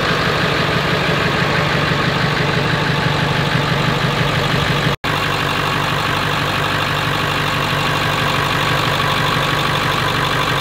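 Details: 7.3L diesel running after a roughly $100 three-part upgrade (CBD fittings/banjo bolts work): steady, even diesel clatter at a settled idle with no misses, knocks or hunting; engine running smoothly.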